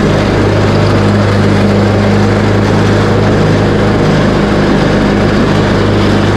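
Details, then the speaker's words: Craftsman T130 riding mower after repair (replaced fuse, new ignition switch panel), started on choke, blades engaged cutting end-of-season grass, deck set high: steady, even single-cylinder drone holding speed, no misses or knocks; running healthy under load. "now I'm going to do a little cutting with it just to show that everything is working properly"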